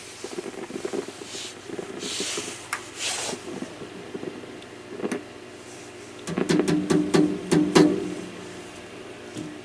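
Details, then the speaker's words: Hammarlund HQ-140X shortwave receiver: irregular sharp crackles and pops over a faint hum; a noisy component suspected, not yet identified. "that's definitely a crackling in there so you know at this point it could be that this noisy component"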